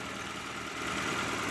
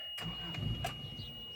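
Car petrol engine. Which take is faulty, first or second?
second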